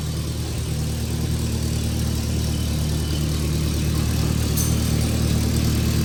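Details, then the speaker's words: Toyota 2.4L four-cylinder after EGR valve replacement and catalytic converter removal, first start: smooth, steady idle with an even low hum, no ticks, knocks or exhaust puffing, way quieter than before; normal idle. "That sounds nice. >> It honestly sounds pretty nice. All right. I mean, yeah, it's way quieter than it was."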